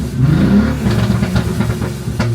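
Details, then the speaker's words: BMW N54, running and driving again after the transmission was dropped and the noise fixed: a quick throttle blip gives a deep, loud, uncorked exhaust rumble with burbles, too loud for the owner's taste. Owner plans walnut blasting for dirty valves. "So other than that, it sounds good. It's a little obnoxious for my taste. Back when I was like 18 or so, I'd have loved it, but now it's just a little bit too loud."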